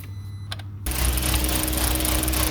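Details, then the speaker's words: 2007 Volkswagen (Jetta/Passat) petrol engine idling with the PCV hose connected: rough, uneven stumbling misfire that evens out when the hose is plugged by finger; new plugs and coils hadn't cured it, PCV valve suspected. "conectar esa manguera, como pueden ver, el carro falla demasiado. Pero si la tapamos de nuevo con el dedo, ahí empareja."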